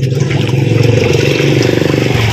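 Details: Washing machine spin after repairing a noisy, slow spin: strong, even motor drone with steady low pulsing rhythm, motor and gearbox turning with no grinding or knocking; healthy spin.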